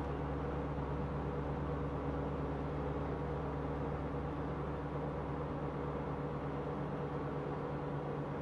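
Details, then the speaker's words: Car in 5th gear, cold, after oxygen sensor replacement, lifting off throttle at speed: steady low hum with droning tones over road noise; owner suspects worn rear differential, long-standing and worsening, not confirmed. "soltar gas a estas velocidades hace un ruido muy feo"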